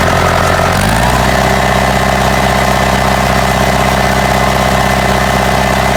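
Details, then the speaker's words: Ford 4040 industrial diesel tractor before injector rebuild: picks up then settles into an uneven lumpy beat with periodic stumble, puffing smoke; misfire from faulty injectors, number two streaming instead of atomizing. "that way y'all can kind of get an idea of what it ran like before you can tell it has a mess and a puff and smoke and it just didn't sound near as smooth as it does now"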